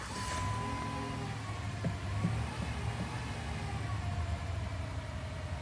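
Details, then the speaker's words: Jeep Commander 5.7 V8 starting to an uneven, stumbling idle: PCM fault leaves the electronic throttle body in its stationary default position (limp mode), cutting injectors to limit rpm; aftermarket throttle body fitted; fixed by repairing PCM. "Nope, it goes into a stationary default position on the throttle body. It has a misfire. It's cutting injectors to limit RPM."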